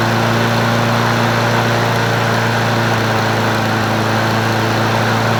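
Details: Free Brute 22 self-propelled mower, 190cc 7.25 gross torque engine, model 7800887, with a sticky throttle: single cylinder runs unevenly with a thumping beat and pops; owner suspects a sheared flywheel key throwing the timing off, not confirmed.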